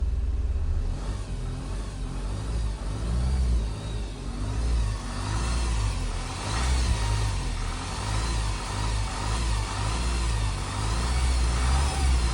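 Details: 2007 Honda CR-V RE6 2.2 i-CTDi diesel running: thin, wavering whine above low clatter and rumble since OEM timing chain kit replacement, persisting after a second replacement; belt accessories ruled out; vacuum pump and upper cam bevel gears suspected, unconfirmed.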